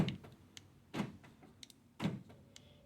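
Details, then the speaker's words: 2014 Nissan Rogue driver-door lock actuator after replacing the one with broken gear teeth: clean lock and unlock thunks, no grinding; noise gone. "So you plug back the window motor, and let's get the window now. As you can see, now it's lock and unlock."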